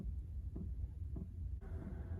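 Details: Chinese diesel heater in a van, after bleeding air from the fuel line; soft regular pump ticking about every 0.6 seconds over a low, steady burner rumble while blowing warm air; heater running normally.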